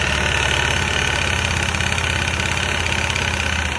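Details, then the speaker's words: Kuba Brilliant 125 scooter idling: a dull, uneven crank-like knock from the variator side, traced to play in a worn front variator. "Ya normalde pek iyi bir ses değil krank sesi gibi duruyor değil mi"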